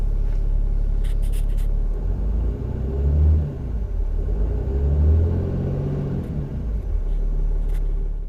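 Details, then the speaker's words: Dodge Ram Cummins diesel idling after fuel filter replacement and code reset: a deep, even rumble with gentle swells and no knocks or misses; battery voltage and turbo boost fine, smooth and steady. "Battery voltage, turbo boost, everything's running completely fine. Perfect. Nice and smooth."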